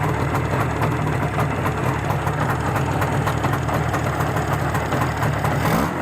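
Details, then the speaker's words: Balanced Izh Jupiter 5 two-stroke engine at idle, monitored with a tachometer, after burning about 2 litres of petrol: even, steady idle with a light regular pulse, no knocking or piston ringing; engine sounds healthy. "работает сейчас этот двигатель по прошествии так сказать того что он вывел уже фактически 2 литра бензина без каких-либо посторонних шумов"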